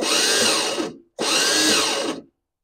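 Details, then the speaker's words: Lawn tractor at start attempt: two bursts of harsh whirring squeal without cranking, because the starter pinion teeth are ground down and not engaging; the fix is replacing the starter. "well the problem lies right here your starter specifically the teeth on your starter which is right here"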